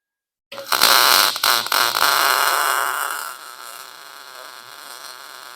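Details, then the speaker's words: Lincoln Pro-MIG 140 welder, wire speed set to 6, chattering gone; about two seconds of harsh, uneven arc crackle with stutters and dropouts, wire feeding too fast and stubbing. "I can still feel it's feeling fast"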